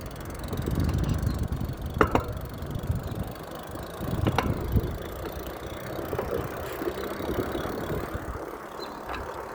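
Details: Velowave e-bike while riding: loud, sharp, irregular clunks from the front wheel, almost constant but occasionally going away.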